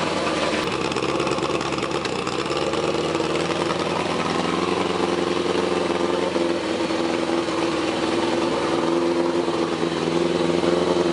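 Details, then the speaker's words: 1981 Suzuki GS850 four-cylinder after exhaust finished, running on temporary hacked ignition wiring; carbs untuned and unsynced, timing not set with light. Steady idle, busy mid-pitch exhaust, slight unevenness; sounds pretty good, normal running, though owner thinks a new ignition system is needed. "yeah I think it sounds pretty good considering the fact that I have not tuned the carbs I haven't synced the carbs I didn't even set the timing with the light or anything"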